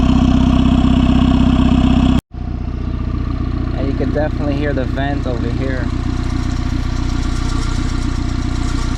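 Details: Turbo-swapped Honda Civic (R18 turbo kit) at steady, even idle with soft rhythmic puffing about three times a second from the open crankcase vent, kept as a breather. The engine sounds settled. Normal idle.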